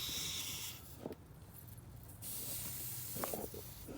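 Sharp, steady air hiss while the intake is pressurised, clearly leaking around the throttle body; a boost leak causing the high idle.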